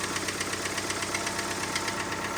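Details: Citroen C3 engine knocking at idle: sharp metallic tapping about four per second, steady; owner tried adjusting valve clearance via screws and locknuts without success, oil pressure lamp goes out but knock remains, source not pinned down.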